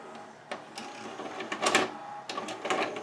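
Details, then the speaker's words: 1992 Admiral (Sharp-made) mono VCR, Montgomery Ward model JSJ20416, before repair: repeated short motor whirs, clicks and clatter as the tape is rejected and spat out; suspected slipping belt and grinding motor; tape load failure. "I do hear a belt may be slippy and I hear a motor grinding when I try to put this in"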